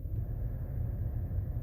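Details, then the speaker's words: Escalade (same as Tahoe/Yukon body style) front blower motor after replacement with an O'Reilly part, cold weather: low, smooth, even blower rush with no squeal or chirp; previous screeching gone, blower running quietly and normally. "so we're all good to go here you can hear nice and quiet now no screeches"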